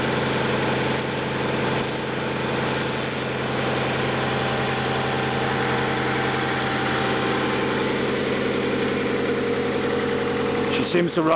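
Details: 1995 Honda Accord EX with rebuilt F22 SOHC VTEC engine, 206,000 miles on odometer, cold start: steady, even smooth low idle drone, no knocks or misses, airflow audible through cold air intake; healthy.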